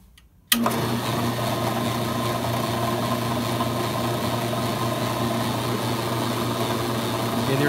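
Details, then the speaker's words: AMMCO brake lathe switched on gives steady low hum with fine light rattle; disk feed gearbox PTO not aligned to the pulley's rotational axis centre line, which also hurts cut quality. "rattle there coming from that ok this rattle comes from this not being lined up perfectly"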